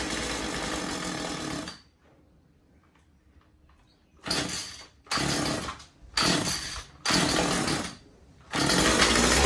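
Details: Husqvarna 36 Special vintage chainsaw after replacing corroded fuel lines and filter and resetting carb high and low screws (previously maxed out) to one and a quarter turns: starts, idles, repeated sharp throttle blips rev cleanly without bogging; healthy.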